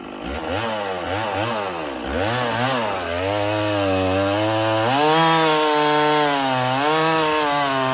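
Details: Stihl 024 chainsaw after carb tuning and makeshift aftermarket air filter, cutting firewood; revs up cleanly, holds a high steady scream, pitch dipping slightly under load, no misses; sounds good up high; normal running under cutting load.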